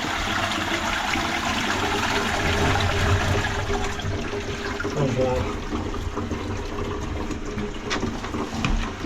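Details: Low-level toilet with plastic cistern, after the loose, back-leaking pan was refixed: clean rush of water and cistern refill with no drips, gurgles or hiss. The flush sounds sound and the pan is no longer leaking.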